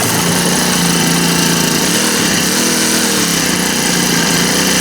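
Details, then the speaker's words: Honda GX25 four-stroke trimmer, about 20 years old, just serviced and run on straight gas, no throttle applied: steady even buzzing idle with no stumbling, likes to warm up. Normal idle. "Likes it warm up though."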